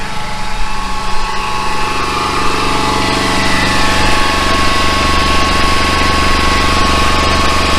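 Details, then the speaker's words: Flatbed truck generator running before its generator head is replaced; head should turn about 3,600 rpm: a steady high whine over the low engine rumble, started about a month ago, from the generator head. "all right we got the generator run it maybe you can hear the whine of the generator so that started about I'll prob about a month ago it's a it's the generator head"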